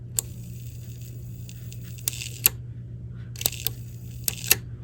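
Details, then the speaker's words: Fisher RS-220 receiver (bought dead, no power): irregular sharp snaps and crackles over a steady low hum from arcing power switch contacts, worse holding the button in. The switch needs replacing, or it may be shorted permanently on. "Yeah, the power switch either needs cleaning or replacing, and I don't clean those, I just replace them."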